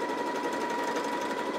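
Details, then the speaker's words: New Janome JW8100 sewing machine on maximum-width zigzag at 1 mm stitch length: fast stitching hum with a thin ringing tone swelling and fading in waves. Irregular noise from thread caught on the bobbin, an operator error. "do you hear that sound something's not happy inside of there and it's you can hear it happening in waves and you can see it"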